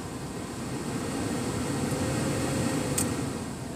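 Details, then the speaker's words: Ford Explorer blower motor after replacement (previously sounded bad only at full speed): steady, soft whoosh of air over a low hum, even speed, no rattle or squeal; blower runs quietly, normal operation. "and this Ford Explorer is all sets blower motor works just fine"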